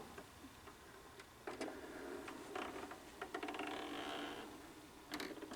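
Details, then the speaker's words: 1993 MCS belt-drive phono player, all plastic, Audio-Technica cartridge, bought cheap at Goodwill and under service; light gear whir, ratchet clicks and a soft clunk as the tone arm cycles back; return mechanism working normally. "return mechanism is working"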